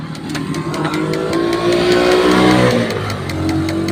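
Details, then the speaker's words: Kia Bongo 3.0, hard starting, no heater indicator, oil pressure light blinking with key on: relay behind, beside the main fuse near the battery, chatters fast and evenly about four times a second over the engine noise from low battery voltage; a short was suspected. "tumutunog yung release sa likuran dito sa katabi ng main fuse niya malapit sa battery tingnan natin ang kanyang rel"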